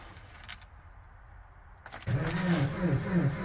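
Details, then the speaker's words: Jeep Patriot at -36 °C to -40 °C with a failed block heater; battery charged overnight, three of four spark plugs cleaned: slow, labouring crank with a few weak firings that never catch, starter overheating; nearly starts. "so close so close o I can smell the starter and I don't like that"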